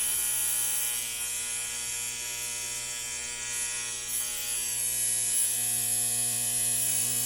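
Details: 1960 Zenith X519 clock radio during repair, alarm switch confirmed closed: steady, high, thin electric alarm buzz over a faint mains hum; alarm buzzer working.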